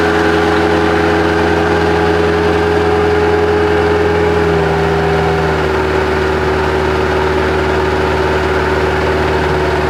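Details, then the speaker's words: Bobcat 763 skid steer diesel, a year unused with suspected water and rust in the fuel, started after fuel filter removal, fresh fuel and additives: steady, even idle with a smooth low drone and no knocks or misses; normal idle. "we get it while it's idling smooth I'm going to try to get it moved into a better location and let it sit there and run for a little bit make sure it's not overheating or anything"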